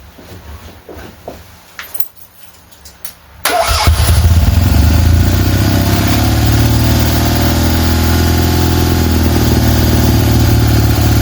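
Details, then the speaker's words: Freshly rebuilt tuned Fiat 126 twin-cylinder engine for a Fiat 500, first key start: quiet, then fires straight up into a steady even idle; normal start, mixture still needs fine tuning. "Um but for the minute it's it's fine. It starts, it runs."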